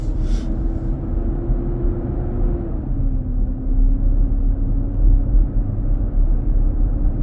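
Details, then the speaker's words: 2023 Nissan Armada, 4k+ miles, 95F inside: returns after a stop while accelerating. Loud steady roar under road rumble, pitch sagging then holding. Owner feels power drained and AC possibly weaker. "I can hear the sound coming back up. Pressing my accelerator and the sound keeps coming."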